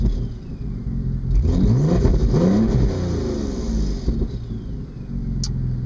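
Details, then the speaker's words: 2002 Audi S4 after Stage 2+ turbo upgrade: revving up under throttle brings a raspy, tinny, cheap-sounding blat over the exhaust rumble and turbo noise. Exhaust leak at the downpipe flange. "it's just when I get on the gas i'm like i like how you can hear the turbo but i'll just i'll just show you it's annoying that's so annoying if it made that sound out of the back of the car that would be cool but it just sounds cheap and janki"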